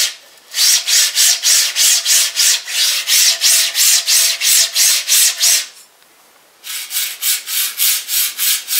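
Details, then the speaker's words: 3D printer Robotdigg linear rail carriages, no belts or motors: rough rasping strokes about three a second, noticeably noisier than Hiwin rail; noisy linear rail carriage. "now you could say well that's due to the orientation it could be because we've got two of the robot dick guides moving every time that goes up and down but to me it sounds like a significant difference"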